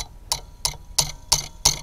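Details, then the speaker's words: Bobcat Delphi common-rail diesel injector on a bench test kit, pumped up to fire around 4000 psi: crisp, even pops about three per second with no dribble; injector sprays properly with very little back leakage. "oh yeah so this one likes to fire around 4000 psi"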